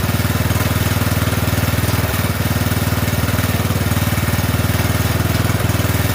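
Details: Poulan 12538 riding mower, 12.5 hp single-cylinder, after new carburetor fitted: steady chug about 230 beats a minute, even and unbroken, no misses or stumbles; running cleanly.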